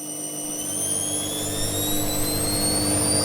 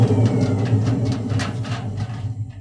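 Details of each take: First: Edesa/Fagor washing machine test-run without clothes after replacing worn drum bearings and badly deteriorated seal; spin now very soft, smooth whirring rising and winding down, no rumble or hoarse grinding. Previously loud hoarse airplane-like spin noise; bearings now healthy. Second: Edesa/Fagor washing machine, drum turned by hand: rough low rumble that fades as it coasts down, from worn drum bearings; during spin the noise is far louder, like a jet plane.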